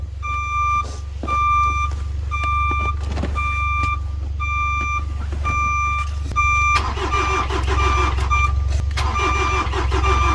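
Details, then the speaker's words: Ford Transit Mk7 diesel van, parked over a year with a dead battery, just started on a jump: about one beep per second over a quiet diesel idle, reversing beeper sounding constantly; owner suspects the reverse switch is stuck on. "Sounds like the reverse switch is stuck on."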